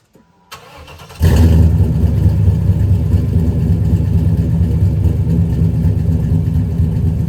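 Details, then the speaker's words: 1995 Chevrolet Impala SS V8 after driveway muffler repair; cold start, brief crank, catches with deep burble and settles into strong steady low rumble at fast idle; healthy exhaust note. "but let's give this thing a cold start i can't do an exhaust video without firing it up and having you guys listen to it so here it goes"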